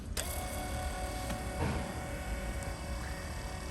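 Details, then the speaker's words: X-ION MAX RO water purifier pumps, battery powered, just started with water purged and waste valve open: soft steady whirring hum, no knocking or grinding; pumps free-spinning unloaded, running normally. "They're pretty quiet right now because they're not really loaded up. They're kind of just free spinning there."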